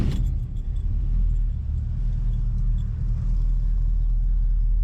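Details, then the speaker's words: 1976 Chevrolet Malibu SS V8, owner-built engine, warmed up: steady, even low rumble, no knocks or misses, smooth as silk, oil pressure holds steady; healthy idle. "super reliable this is one of the best Motors I've built looks like holy hell now but she really is one of the best ones I've built just smooth smooth as silk nothing spectacular you know does this job"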